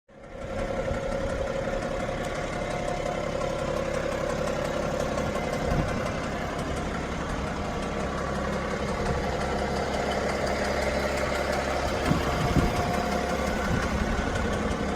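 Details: BMW 530d diesel idling steadily with a faint, loosely regular knock about three beats a second; engine knocking at idle, cause suspected but not confirmed.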